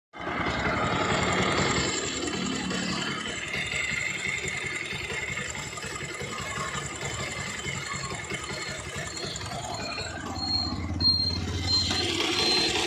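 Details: Bajaj Pulsar 220F at idle: steady idle with a busy, tinny metallic chatter on top that doesn't settle; loud top-end rattle, suspected timing chain.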